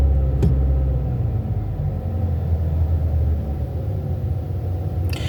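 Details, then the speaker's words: Car in park, revved with the gas pedal during checks after a no-start that was blamed on the battery: a steady low rumble that holds even with no stumble, misfire or stall; engine sounds good. "sounds good when the engine is revving up, so it goes back down. I'm not hearing no stalling in it."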